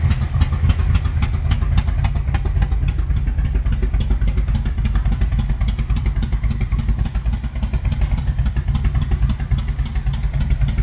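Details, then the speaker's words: 1978 Monte Carlo, rebuilt 2004, sat for months: lumpy idle with irregular exhaust pops and stumbles; rough running with backfiring, stalls, won't accelerate; owner plans timing work. "well as you saw the motor does need a lot of TLC it turned off on me once on camera but I was actually trying to create more content driving down the street but I was having a lot of issues keeping it on it kept backfiring and also it wouldn't accelerate"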